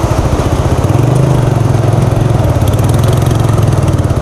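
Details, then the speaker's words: TVS Apache RTR 180 motorcycle riding: low rough exhaust pulse with loose clattering in place of the normal exhaust note, from a loose silencer support. "देखो जो bike की original आवाज़ आती थी ना वो अब आ नहीं रही और खड़खड़ की आवाज़ आ रही है।"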